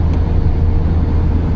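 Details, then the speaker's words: Citroën Xsara Picasso 1.8 16V on a test drive after an ignition coil swap and new Denso KH16TT plugs, which fixed a misfire previously felt under throttle; steady low drone under road rumble, engine running evenly with no jerks. "Ogólnie nic się tutaj jak widzicie nie świeci silnik pracuje równo bez żadnych szarpnięć"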